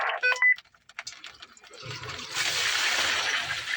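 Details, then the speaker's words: Toilet that had been draining slowly flushes again after a vent was opened: a few short chirps, then a strong, steady rush of water that builds and holds, flushing twice with a lot of force; normal flush. "Oh, that was a lot of force. It went twice. See, it flushed twice? Yes, with a lot of force."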